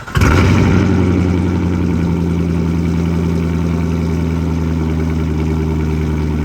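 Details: Rebuilt Corvette V8 started after refilling oil to the middle of the dipstick (earlier overfill pushed oil into intake and throttle body, causing smoke): cranks, catches at once, steady even idle, no airbox noise; healthy.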